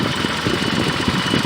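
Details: 1986 BMW E28 528e, plugs just reinstalled: lumpy, stumbling uneven idle under steady mechanical noise with much vibration; combustion gas test shows no head gasket failure, cause still unknown.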